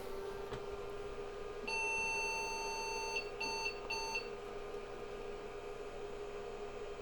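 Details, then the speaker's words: IBM 5150 PC powered on after adding a serial/parallel card and Western Digital hard drive controller card: one long tone then two short beeps over quiet room hum; screen shows 1701 hard-disk error. "he's still beeping but it's not acting any different with either card in there so I hope they work"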